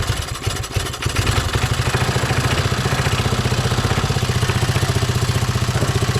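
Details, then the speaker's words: Briggs & Stratton 3hp IC Model 80212 four-stroke on a Masport rotavator, throttle about midway with choke off, took some starting; now a steady, even putter with no misses or knocks, warming up for 5 minutes to check for leaks. "there you go took some starting not sure why I don't run there on uh full speed I just running for a little while 5 minutes the warm it through see if I got any problems"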